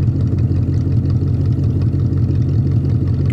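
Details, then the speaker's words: 1966 Plymouth Fury V8 after its ignition problem (zero voltage at the coil wire when cranking) was dealt with: a deep, even burble holding a steady idle with no misses or knocks. It sounds healthy. "you could listen to it guys it's been sitting here running the whole time she runs great listen she purrs like a kitten"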